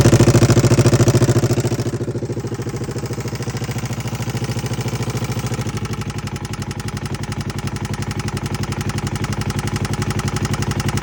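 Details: 2011 Polaris RZR 900 at steady idle with a regular light knock, roughly three per second, over the engine note; owner suspects timing chain or valve, cause unconfirmed; engine knocking.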